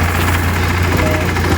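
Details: Nissan Note idling with A/C on: loud, steady low droning hum from a worn radiator cooling fan motor.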